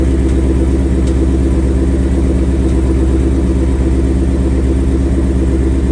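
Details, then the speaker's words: 2021 Ford Mustang GT V8, about 7,800 miles, after its first oil change, idling a little cool: light, fast typewriter tick over the rumble, louder when hot, loudest at the driver's-side front wheel well. Owner believes it is a characteristic per TSBs; dealer check pending. Valvetrain tick. "so okay so you probably heard uh i'm sure you heard the ticking it's not too bad uh of course the car is a little cool right now when the car is hot it takes a lot more it's much more prominent"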